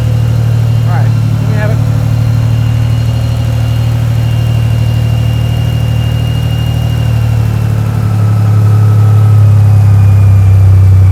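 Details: Turbo AWD 4.3 V6 S10 with rebuilt junkyard engine, running after the rebuild: deep, steady low drone, even beat of about three pulses a second, strong and unbroken; running healthy.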